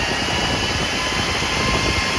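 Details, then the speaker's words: PowerJack 12000 W low-frequency pure sine inverter, lid off, under heavy load, components measured 144–150°; thermostat sensor likely triggers fan around 150: steady airy rush with faint hum, no rattle or scrape; cooling fan running normally. "so i'm assuming when it gets a certain temperature that's going to cause the fan to come on"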